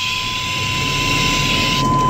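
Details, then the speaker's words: 1994–1997 Chevrolet S10 with a loud steady airy hiss and thin whistle when the brake pedal is pressed, RPMs rising: failed brake booster leaking vacuum, to be replaced. "then you know when you actually hit that pedal you hear a really loud vacuum leak and RPMs fly up a little bit"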